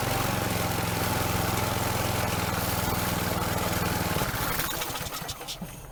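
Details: Troy Bilt string trimmer two-stroke after fixing an air leak at a warped plastic housing: runs at a steady, even buzz for about four seconds, then is shut off and winds down. Healthy, no ether needed.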